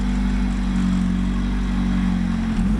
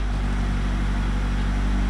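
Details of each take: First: Honda EF sedan just after wiring in an OBD0-to-OBD1 adapter and ECU, first start: engine revs in surges that sag and stumble before picking up, clear throttle hesitation. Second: Honda EF sedan engine after rebuild, distributor wires twisted together for a quick test, idle and ignition timing not yet set: smooth, even note with steady low hum, revs up perfectly with no misses. Normal running.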